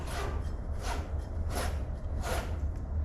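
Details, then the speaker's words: Mid-1970s magnesium Keith Black 6-71 supercharger, apparently unused new old stock, stripped with Teflon-strip rotors, for a 1960s nitro Top Fuel dragster: hand-turned rotors give four even soft whooshing sweeps, no scrape or catch; fresh and tight. "It's very fresh and it's been stripped. It's got Teflon in it, and you can see, you can hear"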